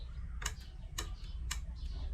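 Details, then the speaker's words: Hyundai Starex automatic transmission, new shift control solenoid valve bench-tested: three crisp, evenly spaced clicks about half a second apart as power pulses; normal solenoid clicking, working properly. "I hope you can hear the sound, the clicking sound that it is working."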